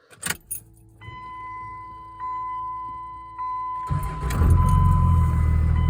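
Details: 2000 Dodge Ram 5.9 Cummins with VP44, cold start after sitting overnight, after replacing the fuel return line banjo bolt O-rings that caused hard starting: key-on chimes, short crank, catches quickly and settles to steady idle; starts clean.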